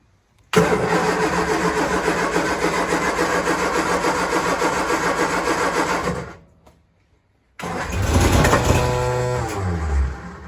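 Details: 1966 Triumph Spitfire Mk II that won't idle, with timing, carburetor, throttle linkage and battery problems and a worn contact noted: long uneven cranking that never catches, then brief surge dying away; hard starting, cause unclear.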